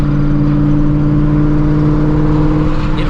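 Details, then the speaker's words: Procharged supercharged Shelby GT350: constant whine over steady idle, intermittent, appearing after the car is parked and restarted; owner unsure if the supercharger belt is slipping, points to idler or tensioner, unconfirmed; whine from belt drive. "I haven't done a hit since I started hearing this noise so I don't even know if the belt's flipping or not literally don't know"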